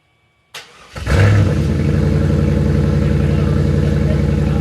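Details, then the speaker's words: Wrecked 1999 Chevrolet Camaro Z28 with LS1 V8, jump-started with a 6,000 amp car jumper while parked sideways: short crank, fires with a bark, then deep, even idle with no misses or knocks; sounds healthy. "We just got her started and she sounds amazing. I don't think she's happy being sideways though."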